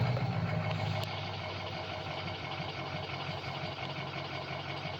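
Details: Diesel with codes P0470 and P0299 and a VGT turbo: low, uneven chugging idle that keeps wavering, readings varying; owner suspects the exhaust back pressure (EBP) sensor, not confirmed.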